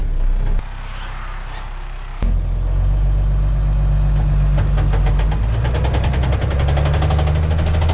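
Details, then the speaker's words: 1990 International 4700 dump truck with a Spicer ES42-5D 5-speed: a steady knock about four a second over the diesel drone in low gear, stopping in fifth. Owner suspects the input shaft bearing; missing countershaft drive gear teeth were later found. "So you can hear that knocking. It sounds like a motor knock, but it's not."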